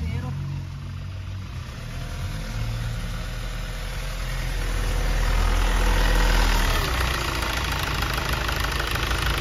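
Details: 2013 Hyundai Starex diesel idling after valve lifter replacement; first-start noise was the tensioner not yet filled with oil, and once oil came up the noise was gone, leaving a smooth idle with a brief rev rise and no lifter ticking.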